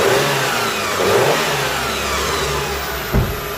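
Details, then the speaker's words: Engine revved right after replacing the belt tensioner, the idler pulley and the drive belt: blips up and settles cleanly with no pulley rattle or grinding; a slight squeak from the freshly fitted belt is expected to go away. "All good, guys. So there's a little bit squeak in the belt, the drive belt, but that will be gone soon because we just put it the belt now."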